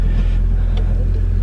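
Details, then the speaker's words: 2000 Honda Civic Si (EM1) with the swapped JDM B18C, started cold off a trailer, heard from the driver's seat; a smooth, steady low rumble with even firing and no ticks, knocks or misses at idle. "Let's go ahead and start this up. Yeah, it sounds just like a brand new Civic."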